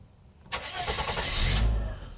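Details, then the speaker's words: Mercedes W126 300SEL, low mileage, long laid up, after its fuel distributor was rebuilt (clogged inlet filter replaced, blocked pressure regulator valve and fuel passages): warm restart, short crank catches at once and runs smooth and even; healthy. "然后我们现在几乎已经快满档了，所以非常好，运转非常顺畅。给它大哥关掉，重新启动。"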